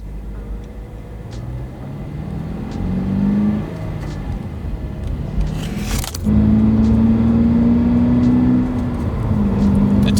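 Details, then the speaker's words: 2022 Subaru BRZ, manual, rear-wheel drive, pulling away from a stop: low steady whine rising gently with engine speed plus light clicks; owner says this is normal, apparently from the flywheel and rear-wheel-drive driveline. "it makes these kind of weird clicky whiny noises, but that's normal. Apparently it's from the flywheel and the fact that this is rear-wheel drive"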